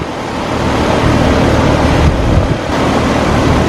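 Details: Newly installed Copeland scroll compressor in a Carrier unit at first start-up after replacement: steady, even hum with fan rush, no grinding or knocking; compressor draws 9.8 A, running normally.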